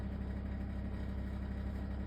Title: LG ThinQ wses4728f - horrible rattling noise